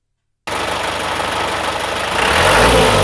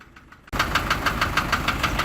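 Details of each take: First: لان صوته الاصلي مش هذاك، صوته الاصلي نسمعكم منه شويه باش تعرفوه. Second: Isuzu light truck diesel at idle, right after starting: sharp even tick about six per second, continuous since about a month; source unknown, engine block appears to seep oil.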